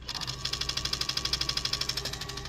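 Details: 2015 Kawasaki Ninja 300 race bike, key on, engine off: rapid even clicking from throttle body valve servo with check engine light, code 32; fix was realigning the spring-loaded position sensor.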